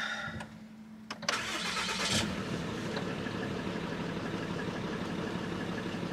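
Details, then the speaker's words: RAM 3500, first start after DIY exhaust manifold repair for fallen-out bolts: short crank, then catches cleanly into a smooth, even idle with no ticking or puffing. Normal start and idle. "my goodness it sounds normal [Laughter] I gotta take a look don't believe it"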